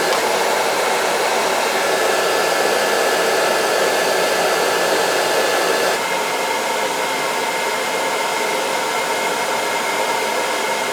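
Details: Riello oil burner during annual service, burner head cleaned and nozzle replaced earlier this year, thermostats jumped: steady even roar of fan and flame, no pulsing or rumble; burner firing and running cleanly.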